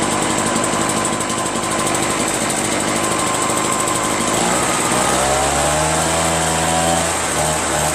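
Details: Curb-found Echo PB-403T two-stroke backpack leaf blower after carburetor cleaning and magneto reinstall, kill wire disconnected: raspy buzz dropping to a rougher, lower idle near the end but still firing; running, owner still plans a new carburetor.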